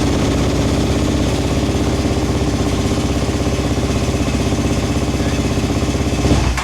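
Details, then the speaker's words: Suzuki LTR450 / Kawasaki KFX450 single-cylinder quad running while tipped over: steady thumping then abrupt stall as the tip-over switch cuts the fuel pump while spark and injector pulse continue. "Now, what's happening there is literally the fuel pump is being cut off while I tip it over. Even though it still maintains spark and it still maintains the injector pulse, the fuel pump is actually cut off um in this event."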